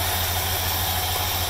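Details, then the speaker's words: 1965 Chevrolet Caprice 396 V8, restored, 98,000 miles believed actual: low steady burble with even beat, no ticks or misses; normal, quiet healthy idle. "396 v8 as I mentioned power brakes power steering factory AC and as you can hear it idles extremely nice nice and quiet"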